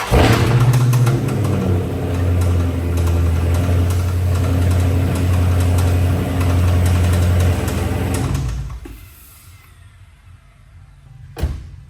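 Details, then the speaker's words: 2017 Dodge Charger SRT 392 V8 at idle, customer ran it low on oil; steady low clatter about three to four knocks a second, rattling and knocking suspected from camshaft and lifter wear with metal shavings and a check engine code; rod knock. "As y'all heard, that did not sound good. That did not sound like an SRT that you want."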